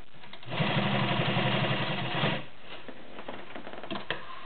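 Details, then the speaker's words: White Model 618B all-metal sewing machine with 1.3 amp motor sewing 6 layers of denim with a size 18 needle: steady, even stitching about four a second, working a little harder but smooth, giving a perfect stitch. "6 layers of denim using a size 18 needle. You can hear it working a little harder on this. Beautiful perfect stitch on 6 layers of denim."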